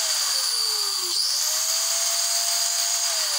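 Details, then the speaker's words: Hand angle grinder that kept dying when switched on, after replacing the faulty switch: high-pitched whine with a hissing edge that sags once, then spins straight back up and holds steady; normal running after repair. "dan hasilnya pun ternyata saklar bisa berfungsi dan kita gunakan"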